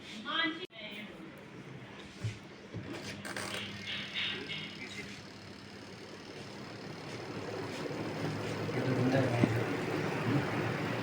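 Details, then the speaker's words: Godrej 7 kg semi-automatic washing machine spin motor, after fixing jam and oiling: steady, even hum at full spin speed, rising smoothly with no rattle or vibration; normal spin after repair. "आप देख सकते हैं दोस्तों हमारा problem बिल्कुल solve हो गया है और पानी बिल्कुल देख सकते हैं आप सूख रहा है इसमें ड्राई हो रहा है कपड़े हमारे और फुल स्पीड में चल रहा है यह बिल्कुल बिना वाइब्रेशन का"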